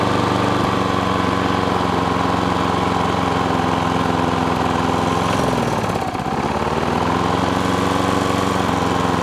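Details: Self-propelled lawn mower after its drive cable was adjusted at the brass collar. The small single-cylinder engine chugs with a wavering, hunting speed and a brief dip, and the carb wants a bit of a tune; uneven running.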